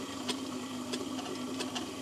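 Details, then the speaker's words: ToolMania 250 mm variable-speed wet stone tool grinder, speed turned back down after running up: low steady motor hum with soft taps about every two-thirds of a second from the slow wheel; running smoothly, normal. "now it's going back down again and it's running very smoothly"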